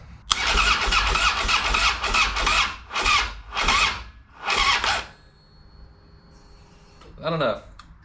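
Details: 2007 Harley-Davidson Street Glide, hard starting since last fall, after battery charging: sluggish, uneven cranking, about eight labouring strokes slowing before quitting, no catch; slow cranking, no start, weak battery suspected, not confirmed.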